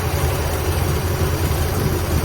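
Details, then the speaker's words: Ford Galaxie V8 first run after ignition points cleaning, cranked via solenoid button, running on its own fuel: deep, low, steady burble holding its own idle without stumbling; normal idle. "so that's about how long it takes to get an engine running in the real world and it really doesn't sound too bad now"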